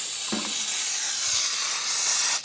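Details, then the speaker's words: Air compressor found with a hole in it and an underneath valve possibly open or missing a piece: steady sharp hiss of escaping air, no motor note; compressed air leak. "oh look at this it's got a hole in it probably shouldn't put my air compressor up this way"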